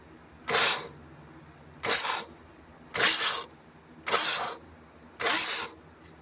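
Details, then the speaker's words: Ford 6.9 diesel hydrolocked by hurricane floodwater through the intake, oil changed and glow plugs removed: five short cranking bursts, each with a sharp hissing spray as water blows out of the cylinders. "That's all water, guys."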